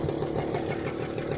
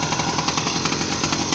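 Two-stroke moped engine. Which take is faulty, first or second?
second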